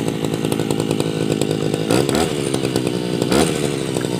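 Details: Tabata two-stroke grass cutter, over 7 years old, original block and piston, new rings, original carb: steady high buzzing note with quick throttle blips, clean even firing, running healthy.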